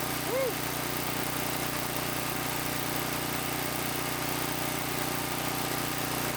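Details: Small single-cylinder tiller engine idling in neutral after about 20 years sitting, once fuel was added; steady, even idle with no misses or knocks, running cleanly: normal idle.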